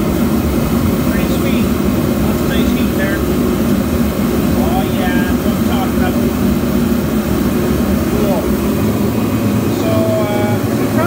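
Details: Kerosene/diesel forced-air heater running indoors during a two-hour carbon monoxide test: a steady, even blower roar with a constant burner rush and no sputtering, surging or flame-out. Running normally.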